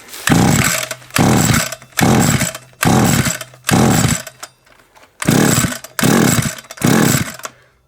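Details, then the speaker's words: SGS Engineering 26cc strimmer, after briefly firing: about eight rough recoil pulls, roughly one a second, each dying straight off without catching; cranks but no start, and the owner suspects lost spark. "we've definitely not got sparkling i mean that would have gone by now"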